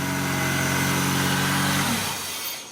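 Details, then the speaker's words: 2001 Honda CR-V after fitting a new starter and the missing second starter bolt left out by a previous installer: smooth, even starter whir as the engine catches, no grinding; fixed. "So now those bolts are installed. Now it's starting good."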